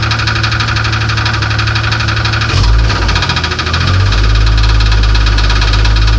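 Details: 1994 Grand (4.0 litre) engine at idle: rapid, uneven knocking about four per second persisting through a short throttle blip; source undetermined.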